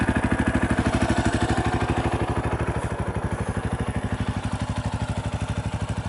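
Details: 2018 Yamaha Tricker XG250 after cam chain tensioner adjustment: a single-cylinder idle with quick, evenly spaced thumps at a steady speed and no obvious top-end tapping; sounds like a normal idle.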